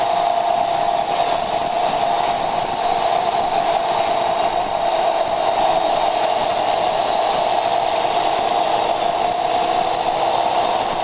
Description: 2014 jeep JK making high pitch clicking noise above 50mph.